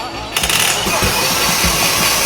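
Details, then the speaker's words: Mercedes-Benz S-Class M272 V6 engine, known for cylinder scoring, after engine overhaul, cold start test: cranks and catches at once, settles into steady even idle with no knocks or misses; cold break-in running normal. "咱们冷磨合正常啊"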